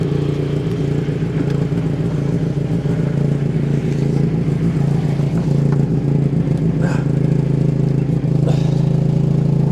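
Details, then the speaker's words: Austin Allegro driving, sitting wonky on one side, presumed due to the Hydragas suspension. Deep drive rumble with an uneven scuffing rub that tracks wheel speed: the tyre is rubbing the wheel arch. "it's the wheel Arch on the wheel yeah look because it's because it's wonky on one side because of the hydro gas I presume yeah it's rubbing the wheel Arch on the tire look that's what it is there"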